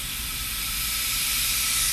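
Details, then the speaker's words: Ford Powerstroke diesel with ARP head studs, puking coolant, coolant cap under pressure test: a sharp steady hiss and pop as the cap vents at 20 instead of its 25 rating; the cap is releasing early. "see it's leaking now so it's leaking early so it is early it's leaking at 20 not 25. you heard it pop i heard it pop right there"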